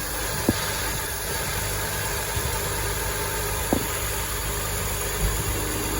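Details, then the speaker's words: 2005 BMW X5, engine running with A/C on after replacing compressor clutch bearing and recharging the system: smooth, steady hum with a couple of faint isolated clicks and no bearing growl; healthy compressor. "no more core Stone coming from the compressor bearings and doing some smooth and nice"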